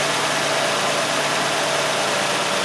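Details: Nissan Sentra with P0400 EGR malfunction code, mass airflow sensor previously replaced: steady even idle hum, no stumbling or dips; normal idle.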